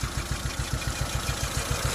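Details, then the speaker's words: Proton Wira sedan at idle, engine shaking with a lumpy, uneven thump about seven beats a second, weak spark, feels like only three cylinders firing; misfire, rough idle, plugs to be checked one by one. "So masalah kereta ni, dia punya api kurang. Tengok, anda boleh dengar dia punya enjin bergegar dan bunyi pun tudut."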